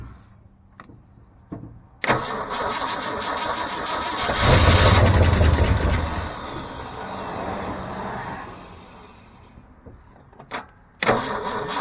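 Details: 1973 Ford F350 dump truck petrol engine, choke wired open: cranks, fires, swells briefly, settles to a slow lazy low idle; idle set too low, vacuum leak also suspected.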